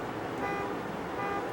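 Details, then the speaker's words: Honda Accord at idle with newly fitted accessory belts: short high-pitched squeal bursts as the AC switches on, because the belt settled and lost tension; accessory belt squeal from low tension. "I figured out why it was squeaking put the AC on and right away and all it was is we lost tension in the belt it it settled"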